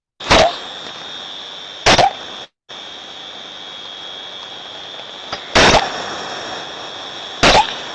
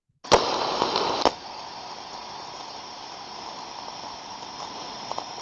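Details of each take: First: Ultrasonic recording of an on-off steam trap: sharp bursts of hiss every couple of seconds over a steady background hiss; the trap is cycling far more often than it should, unlike a good trap that stays quiet when closed. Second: Ultrasound recording of an on-off steam trap: a sharp snap, about a second of rushing discharge, another snap as it closes, then near quiet; the trap is cycling properly.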